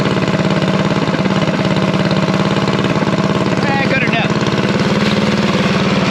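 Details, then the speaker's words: Revived unknown-history junk single-cylinder go-kart engine at a fast idle around 2200 rpm during break-in: a fast, even thump with steady exhaust pulses and no knocks or misses. It is healthy. "well don't sound too bad for a junk motor that i know nothing about"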